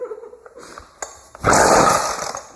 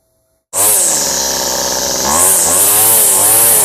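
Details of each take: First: Weed Eater string trimmer after fuel line replacement, half choke: weak uneven sputter at idle nearly dies, rough burst with throttle held; idle likely too low, mixture screws need adjusting; won't hold idle, stalls. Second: A weed eater two-stroke engine, run after its fuel lines were replaced, catches sharply. It then runs with a high buzzing note that swells and dips in even revs, running properly again.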